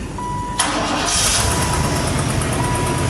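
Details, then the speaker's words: Caprice bought as a non-runner, cold start below freezing in an unheated garage, not started that day: a brief crank, then it catches at once and settles into a smooth, steady idle with no misses; healthy cold start. "She fires right up. another daily driver."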